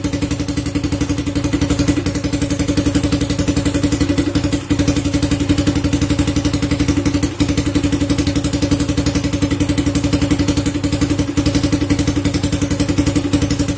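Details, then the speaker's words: First-generation Honda Supra Fit, warm engine, ignition parts (stator, CDI, regulator, coil) already checked: idle turns uneven, beat dropping out as it stumbles and stalls when hot; mechanic suspects the automatic decompressor on the camshaft, unconfirmed. "Mati dia. Nah, seperti itu dia, berebek-berebek. Kita tes ulang. seperti itu teman-teman, dia pincang-pincang."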